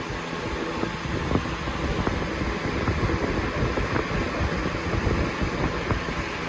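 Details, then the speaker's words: Lasko Premium box fan (3723 vs 3720 Weather-Shield comparison) on high speed: steady airy rush with a thin constant whistle on top, the typical whistle of this fan. "I think this is like one of a few fans that has this whistle sound, and you can hear it clearly."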